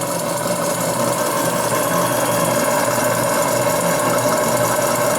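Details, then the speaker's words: Small RC steam engine, 5 cc, on restored boiler with 300 g burner, warm, about 9 minutes into endurance test, superheater replaced by straight pipe, boiler at low fire: soft even chuffing over steady burner hiss; running smoothly. "Oui, ben, je suis au ralenti de la chaudière et la machine tourne gentiment."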